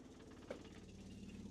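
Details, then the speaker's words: 1965 Ford Econoline, not run in almost two years, engine off: quick steady ticking with one sharp click as the electric fuel pump primes fuel to the leaking carburetor, normal; mechanical pump expected to take over. "And now we'll hit fuel pump. There it goes. Maybe. And see, now she's sucking fuel, priming the system."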